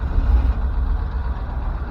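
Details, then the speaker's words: Ford F600 truck engine runs then sags and dies, as if fuel starved; low uneven rumble fading out, no blow-by noticed, odd smell; engine stalling. "fuel yeah runs good runs good and then dies like she's fuel starved"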